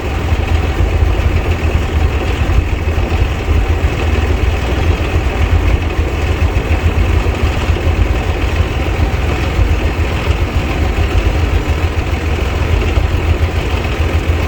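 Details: 1990 Bluebird bus with turbo Cummins diesel, fuel system bled, battery charged: deep even idle rumble with no misses or knocks; runs better though the throttle still isn't working.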